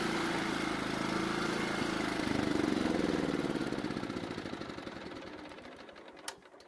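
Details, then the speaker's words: John Deere riding mower engine, carburetor primed, runs a few seconds then loses speed, its beat slowing and fading until it quits when off choke; lean carburetor, runs only mostly choked. "so as you just saw after getting it started the carburetor had to be somewhat choked to keep the engine from dying"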